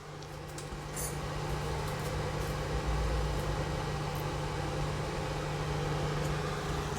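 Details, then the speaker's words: Rebuilt 5.2 Dolby Digital remote kit amplifier after a humming fix, speakers connected: a steady low fan drone comes from the amplifier's cooling fan, with no hum through the speakers. Normal. "మీకు వీడియోలో వచ్చే noise వచ్చేసి fan అనమాట. అంటే మీకు fan sound వస్తుంది, అది స్పీకర్లో రావట్లేదు, యాంప్లిఫైర్లో వస్తుంది."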